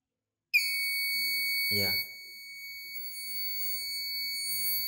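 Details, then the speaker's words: BRT battery charger/tester load-tests a battery (clicks as load is applied), then gives one steady high-pitched beep as it reads "bad"; display showed about 14, meaning battery performance only 14%. "dan terbaca bed ya, dan terbaca bed. Tadi kan terbaca sebelum bed ada muncul layar 14, sekian. Nah, itu menandakan performa aki ini hanya 14%."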